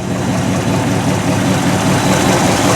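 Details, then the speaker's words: 1964 Ford stepside with a fresh stock 302 V8 (dyno about 253–258 hp, 308 lb-ft) replacing a tired 351, heard from the back: an even, deep burble; temperature 160, oil pressure 50 psi, fully charging; normal idle. "This gentleman is good to go. Temperature sits at 160. Oil pressure 50 lb volts fully charging."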